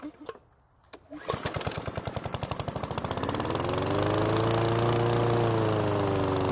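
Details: PowerSmart lawn mower that wouldn't start, after replacing old fuel with fresh: sputtering pops over a slow start building into a steady even drone, no misses, some oil burning off in the muffler; normal running.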